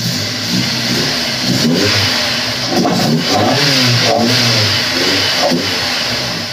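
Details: Honda S2000 after melted number-one coil pack; second startup, crisp throttle blips over a steady idle, no misfire or popping; much better than rough first start; normal revving.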